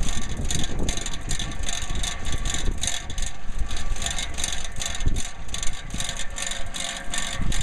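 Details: Roof turbine ventilator (whirlybird) on the roof, spinning fast before maintenance: rhythmic rattling whoosh, about three beats a second, over heavy wind rumble, causing vibration in the house; owner thinks it needs lubrication.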